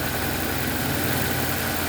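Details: 2007 Nissan Y11 Wingroad, QG15DE cable throttle, running rich (fuel trims off, stuck fuel pressure regulator) with a fast, busy idle that never settles: high idle from a burnt ECM driver for the idle air control valve, leaving the idle permanently open.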